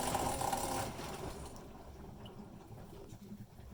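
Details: Maytag Neptune MAH5500 front-load washer, tub bearings already replaced with an online kit; the original bearings didn't look bad: harsh rough drum grinding, loud then fading to a low rumble, that never went away. Finding: drum grinding noise.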